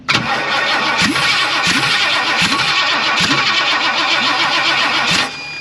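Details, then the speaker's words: 1958 Ford F100: steady rhythmic starter cranking, then the engine catches and pops on starting fluid before dropping off. It fired. "Well, it fired off. That's all that matters."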